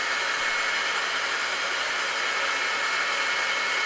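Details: Breville BCG450XL coffee grinder after replacing two faulty capacitors on the main board that caused power loss: smooth, steady high whirring at constant full speed with no stalling, grinding or rattle; repaired motor running normally.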